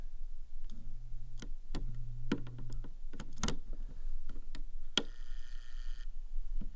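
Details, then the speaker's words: Lutron Maestro fan control and light dimmer in a kid's room: low electrical buzz that comes and goes with sharp pops and clicks as the dimmer is worked, occasional visible flash inside; knob came off, safety questioned; dimmer switch buzzing, cause suspected. "I don't know if you're picking it up but the popping in here sometimes you'll see a little Flash in there and you'll hear buzzing"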